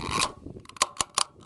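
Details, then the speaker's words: Fuel cap on a new Harbor Freight Predator 3500 inverter generator: a few sharp, evenly spaced ratchet clicks as it tightens, like an automotive fuel cap. It works as designed and prevents overtightening. "Clicks just like your automotive fuel cap. That is very nice. You can't over tighten it."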